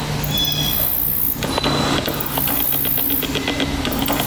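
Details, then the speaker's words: Sigma 17-50mm f/2.8 EX DC OS HSM lens on a Sony a6500 shooting video: faint buzzing and ticking as the lens racks back and forth, a noisy autofocus motor hunting and slow to lock. "You can hear the autofocus struggling here. It's the same when you're shooting photographs. The autofocus is pretty noisy."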